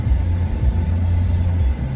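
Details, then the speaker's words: Caravan test drive after rear wheel bearing replacement, air conditioning running: low even road rumble with no hum or growl; the bearing noise is gone. "And, oh, nice and quiet. Beautiful. There, turn off the radio. There we go. That's the way it's supposed to sound. No bearing noise whatsoever."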